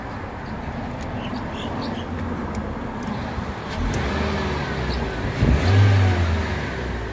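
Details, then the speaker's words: Mitsubishi Lancer, stock quiet exhaust, just restarted after a battery fix and not run in a while: smooth climb through a couple of blips in neutral with no misses, knocks or rattles; engine sounds healthy. "But yeah, she sounds really good. Isn't that? Nice quiet exhaust, which won't be staying for long."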